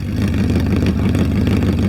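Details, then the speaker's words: Crashed Audi R8 revving with very loud, deep, raw, booming roar, little muffling; about 83–85 dB at idle, over 100 dB when revved. "So, at the minute, it's reading about 83 85 dibels. But wait, wait till I wrap this. It's It's like a aeroplane, I swear."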